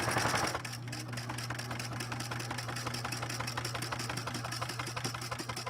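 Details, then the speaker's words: Singer 6233 sewing machine stitching thick layered leather: steady stitch clunks about four per second over a low motor hum, with the feed dogs labouring hard to move the material. "now what I can hear what I can hear right now and maybe you can hear it as well is those feed dogs are really working hard to move this material really working hard"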